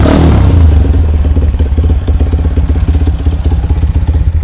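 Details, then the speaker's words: Honda CB100 custom build, SND carburetor, cheap full-stainless exhaust: after a quick blip, loud even single-cylinder thumping about four beats a second, steady and unfaltering; normal idle, loud pipe. "Knalpot full stainless dengan harga murah sekitar 500 ribuan ini cuma. Karburatornya SND, suaranya seperti ini."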